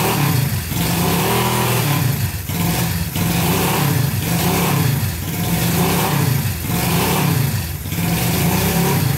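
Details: Barn-find Honda CB350 twin (listed as 1970 or 1974) just fired on first choked start after years sitting: fires cleanly but surges and sags about every second, never holding steady idle; fuelling suspected, not confirmed, black smoke puffs cleared.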